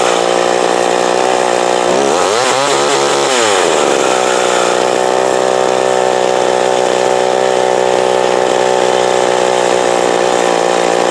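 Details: McCulloch Mac 120 chainsaw, previously disassembled with a screw missing, after carburetor screw adjustment: steady high buzz, one brief rev up and back down, returning cleanly to an even run; normal running after carburetor adjustment.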